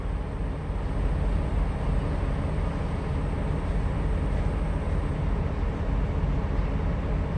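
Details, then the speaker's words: 2017 Freightliner Cascadia diesel, parked regen started by holding the regen button until the engine revs: deep, steady raised idle with no misses, a regen normally lasting 12 to 20 minutes. "So when you hold it and you hear the engine rev, then you know you let your engine do its regen. And normally that can take from 12 to 20 minutes."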